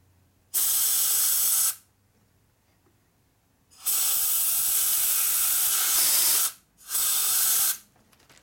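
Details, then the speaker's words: 1958 Harley FLH 74ci Panhead, lower end rebuild: air blown through the crankshaft oil passage, exiting at the rod in three sharp, steady hiss bursts with no choking or sputter; oil passage clear. "So I need to check to see if there's airflow through the shaft. We should hear it come out the rod over here."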